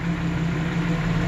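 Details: 1992 Jeep Wrangler 4.0L after replacing a cracked exhaust manifold: even, steady idle with a firm low hum, no ticking or exhaust puffing; normal idle, though a slight engine issue is heard.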